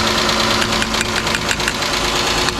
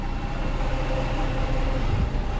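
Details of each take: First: Chrysler 300 with a 3.5L junkyard swap engine: rough idle with sharp, regular ticking. The owner thinks it is not a knock and suspects a stuck injector on a cylinder not firing, but this is not confirmed. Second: Chrysler 300 3.5L V6 after junkyard engine swap, about 1,000 miles later, idling: steady, even low rumble with no knocks, misses or ticks; normal idle.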